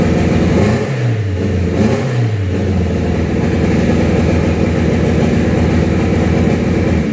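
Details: 2000 Acura Integra DC4 built B18C engine (sleeved, 10:1 pistons, Scat rods), turbo project: revs up and settles twice, then steady rough hum; earlier misfire possibly from two slightly bent valves, state of this clip unclear.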